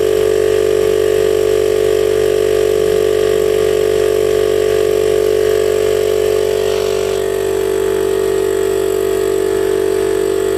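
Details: DIY 12V compressor on a recycled 40 L tank, big permanent-magnet motor drawing about 30 A, rated 72 L/min, pumping toward 100 psi. Steady even hum at one pitch, smooth pumping rhythm, no knocks; normal running.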